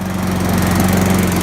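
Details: 2005 Toro Personal Pace Recycler roadside-find mower with Tecumseh engine, first run after reattaching the carburetor linkages and fuel line, idles at a smooth, even buzz with steady speed and no misses or knocks, running normally.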